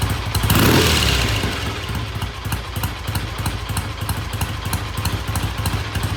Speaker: all right black sounds good starts good idle's good I'm going to call it good pending a um test ride